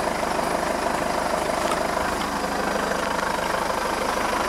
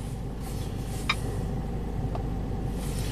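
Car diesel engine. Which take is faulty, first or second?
first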